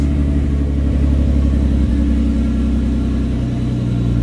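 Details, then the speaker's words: R33 Skyline GTST that had idled 300 rpm low with AFRs above 16, after carbon was cleaned from the idle air control valve: steady deep idle with an even low thrum and no hunting; normal idle. "oh we fixed her boys that's all it was it's a bunch of freaking carbon man that's all it frickin was"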